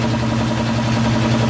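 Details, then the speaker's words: Power Craft 3hp air compressor, one month old, after warranty pump replacement for a chug-chug noise: smooth, even low pump hum with no chugging or uneven beats; normal running, though the flywheel looks slightly warped. "So wala na yung chug-chug-chug na tunog na parang thread. So ayan, tahimik na. Normal. Yan yung normal na tunog mga Kalisto."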